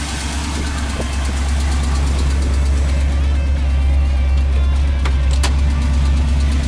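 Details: 1979 Chevrolet Camaro V8, sat for years, idling. The lumpy idle has a fast, uneven puffing tick riding on the exhaust pulses, about three a second. It is an exhaust manifold/header leak.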